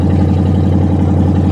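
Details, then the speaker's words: Car at auction, exhaust cut off: very loud, deep throbbing idle with hard even unmuffled pulses and raw fuel smell. "so somebody's cut the exhaust that is wonderful"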